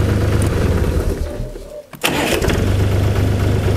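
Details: Chinese DTZ diesel tractor fitted with a new electronic engine-stop from the ignition key, replacing the cable plunger shutoff: steady low diesel rumble cuts out briefly, then catches again at once and settles to an even beat; normal start.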